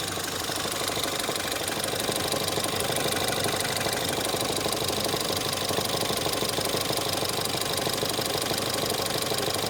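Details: Ford Fiesta ST 180 EcoBoost at idle: regular deep knock about three per second over engine note; Ford blames the clutch release bearing but noise persists with clutch pressed or not, owner suspects bearing damage; source unconfirmed.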